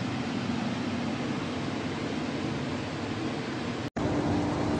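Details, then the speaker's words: 1998 Kenmore gas furnace air handler running in cooling mode on a hot day, tied to a 2011 3-ton Trane XP13 condenser: steady, even rush of air with no knocks, rattles or squeal; normal blower operation. "here's the 1998 Kenmore gas furnace running in cooling mode on a hot day"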